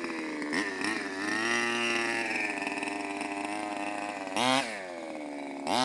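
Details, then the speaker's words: CY 23cc two-stroke gas engine in a Mutilator-6 R/C buggy, being tuned after the mixture was deliberately upset: high-pitched buzz that sags to a slow, uneven idle between blips; the idle speed is set a little low and needs turning up. "Idle's a little low, turn it back up."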